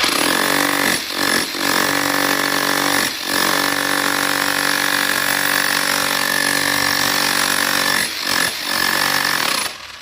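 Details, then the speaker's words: Makita HR4003C rotary hammer with broken mode selector lock, set to drilling mode: steady motor drone with fast percussive hammering throughout, so it drills and hammers together; hammer action in drill-only mode. "अब यह drilling है। और हथौड़ा मारना दोनों एकसाथ यह काम करेगा।"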